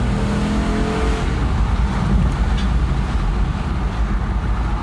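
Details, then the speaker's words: 2007 Jeep Grand Cherokee Limited V8 flex fuel after idle air control valve replacement that fixed random RPM drops and rough idle, floored on a test drive: engine note climbs cleanly without stumbles or dips; normal acceleration. "And it behaves just like it was new. So I'm pretty sure that the AIC was faulty."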